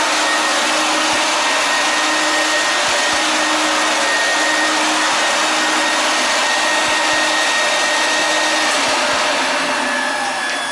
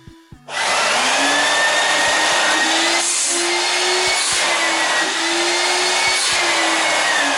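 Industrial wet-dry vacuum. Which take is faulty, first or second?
second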